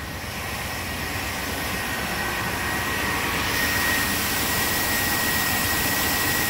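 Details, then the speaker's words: 1997 work truck petrol V8 idling smoothly and evenly after replacing a bad number two injector that caused a lean-cylinder misfire; no stumble or skipped beats, misfire gone. "uh oh I think it sounds way better let's go listen to that tailpipe yeah took care of it I'd say our misfire is completely gone"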